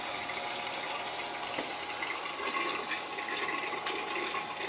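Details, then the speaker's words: Boiler with three zones, after leaking relief valve and bad expansion tank replaced: rushing water hiss with spits and gurgles through the hose as air is purged from the second-floor zone. "That's the second floor one. There's gonna be air on the second floor."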